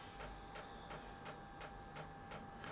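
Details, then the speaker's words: Truma diesel heater in a VW LT35 camper van, newly installed metering pump priming diesel through the line at first start (set to 30°): steady sharp ticks about three a second; normal fuel pump priming. "but that's the pump that we installed, the metering pump starting to pump diesel through the line."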